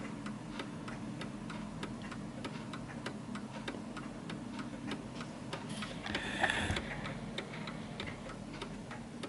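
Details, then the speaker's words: 1940s Hermle (FHS) 8-day German Art Deco chiming clock on a purposely tilted surface, pendulum corrected by easing it left: steady evenly spaced ticks, movement now running in beat. "you might need to ease it to the left to the right just so you can hear the perfect ticking"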